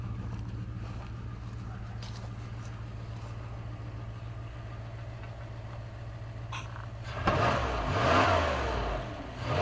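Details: 1997 Dodge high-roof van, 360 V8, automatic, just started after sitting 5+ years: steady even idle for several seconds, then clean rev rising and settling smoothly; normal idle and revving.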